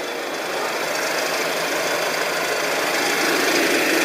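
A sharp, fairly even rattling knock at roughly 220 a minute rises slightly in loudness over the running engine, so the cause is undetermined.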